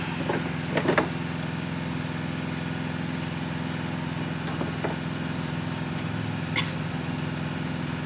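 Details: Mitsubishi L300 petrol that only clicked when cranking despite several starter services, after fitting a starter relay wired from the battery: engine catches and settles into steady low idle, some handling knocks; starts and runs normally.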